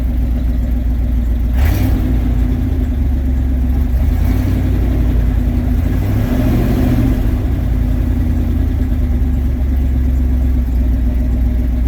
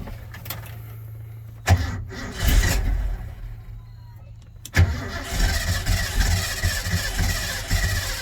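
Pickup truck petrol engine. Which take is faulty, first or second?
second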